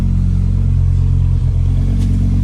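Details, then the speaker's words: 1991 Audi 200 20V Avant five-cylinder, first start after cylinder head repair and fixing a broken distributor gear that caused a no-start; smooth, steady deep rumble with even five-cylinder beat, slight valve-train tick at startup from bled-down lifters. "Exhaust sounds like an awesome 5-cylinder."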